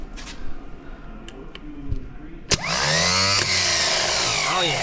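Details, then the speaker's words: Squarebody truck that would not restart when warm; corroded neutral safety switch found and starter solenoid redone, starter tested after reinstall: a sharp click, then a fast wind-up to a strong, even high whir; normal starter motor spin. "that sounded way better cool way stronger too"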